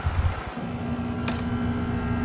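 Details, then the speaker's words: 2025 Trane XR14 1.5-ton heat pump, February 2025, recently started up: quiet steady low hum with faint even tone and fan rush, no rattles or strain; running normally. "Yeah, there's no question about It's working really good."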